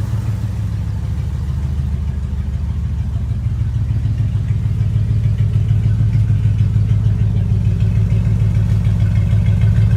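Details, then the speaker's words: Jeep Grand Wagoneer V8 during tune-up, before the air filter change: deep, even rumble at idle that swells slightly as it settles, no knocks or squeals. Normal idle. "This thing sounds like a freaking boat."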